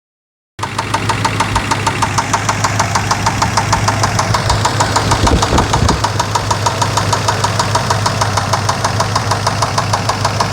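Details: Chevrolet Suburban 5.7L V8 at idle, first start after sitting a few months, fluids checked and good gas; fast regular knock or tick about three per second began seconds after starting. Cause unknown.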